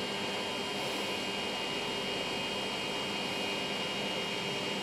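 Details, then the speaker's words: Sovol SV01 3D printer on a Creality mainboard with old non-Trinamic stepper drivers, homing via G28: steady high whine with lower buzz as axes travel; noisy old stepper drivers. "yeah this is obviously not a trinamic drivers hear how noisy it is"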